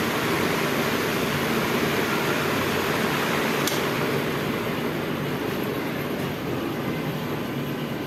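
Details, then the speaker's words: DC pedestal fan that ran on only one speed, after rewiring the speed selector connections, on the next lower setting past 2 at reduced speed: steady, even airy whoosh, no rattle, ticking or grinding. Normal running. "अभी 2 पे थोड़ी सी speed कम हो गई। अभी उससे भी थोड़ी सी speed कम हो गई।"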